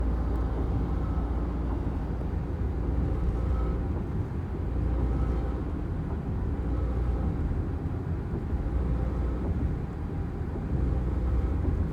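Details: Car accelerating hard, from quick reverse or a sudden throttle press while cruising at 45–50 mph: deep steady hum in the cabin, stronger at first, and not always present.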